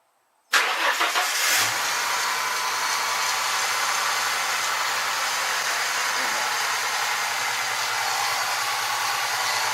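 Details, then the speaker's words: 1996 Mustang, about 21 years old, started after the AC compressor with a bad pulley was replaced and the belt refitted: quick start, smooth even idle, quiet apart from a faint power steering pump whine. Normal idle. "pretty quiet other than the power steering pump"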